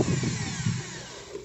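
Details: Ryota 2010VR 10 mm drill after fitting a Maktec MT60 armature: short burst of smooth motor whine winding down evenly, no crackle or grinding, only small normal sparking; normal running.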